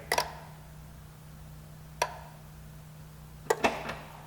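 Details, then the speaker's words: 2004 Pontiac Sunfire 2.2L with cranks-but-no-start, heard at the front fuse and relay center. At key-on the relay clicks on over a faint hum for about five seconds, then clicks off; the fuel pump relay is working normally. "the key off keys on and then it times out and clicks off not to me sounds like the fuel pump relay is working"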